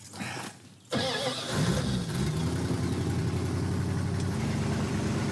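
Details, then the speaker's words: Tow truck project, started with choke wired partially closed: short crank catches fast, then rough, slightly uneven low idle with faint steady hiss from a massive vacuum leak. "We've got a massive vacuum leak on this thing."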